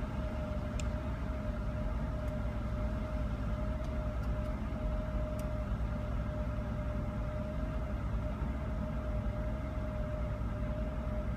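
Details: Mercedes SL600 at idle; dull, uneven low rumble beneath a constant mid whine: rough idle.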